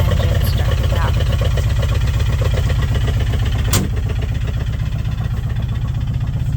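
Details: Side-by-side in freezing weather, battery dead from cold, started with a battery charger hooked up; nothing at first on the key, then after a few seconds it catches. Steady low, even chugging about four pulses a second, no knocks or misses; idling smoothly.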